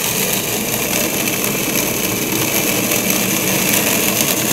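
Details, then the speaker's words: Acrylic centrifugal pump trainer with suction valve closed to about −20 inHg: a steady harsh crackle like rocks through the pipe, no debris, just vapour bubbles collapsing back into liquid, i.e. cavitation. "you start to hear that sound that sounds almost like rocks going through the pipe there's no debris there's no solid material through here that solid sounding sound is really the collapsing of the vapor Bubbles as they go back into liquid form"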